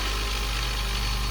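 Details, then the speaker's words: 1980 Blademaster skate sharpener, E6 induction motor (3.8 A, about 1/3–1/4 hp) with run and start windings; the start winding disconnects once the rotor is up to speed. Steady even low hum at full speed, no clicking or wobble: healthy running. "So it's got, in the stator of this induction motor, there's a run and a start winding. And the start winding is engaged until the rotor armature is up enough speed to where it pushes on it and disconnects it."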